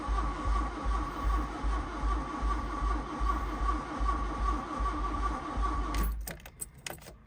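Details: VW Mk1 Golf GLi Karmann Cabriolet parked 31 years, turned over on key to raise oil pressure: slow, steady cranking about 2.5 turns a second for six seconds, never firing, then stops. Crank no start.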